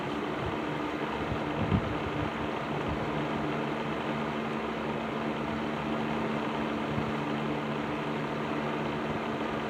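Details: Patton 12-inch box fan, black Patton-branded Fasco motor, after servicing, low speed in a window: steady even motor hum, constant airflow rush, faint occasional rattle; less rattly than before, running normally.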